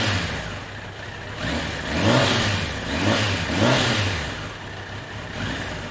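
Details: 1993 Kawasaki Concours, sat unlicensed for about two years, checked for hydrolock (none found): smooth four-cylinder note rising and falling cleanly with each throttle blip, no knocks or rattles; engine healthy.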